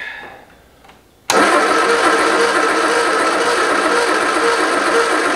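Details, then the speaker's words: 1973 MG Midget parked over 40 years, plug wires rearranged to a guessed firing order, timing off: starter cranks steadily about three turns a second, close to firing but never catching; owner suspects wires or fuel. "here that did something worse to it let's make sure all the wires are still on huh enough fuel maybe let's try"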